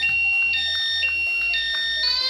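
A loud electronic siren stepping between high tones about every half second, the alarm's anti-snatch mode sounding as it should.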